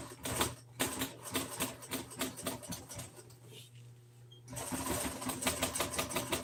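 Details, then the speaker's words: Sewing machine straining through old hard plastic, uneven heavy stitching clatter about two beats a second with brief stalls; needles breaking, owner unsure whether something is binding. "But this part right here it does not want to be sewed through. That hard plastic."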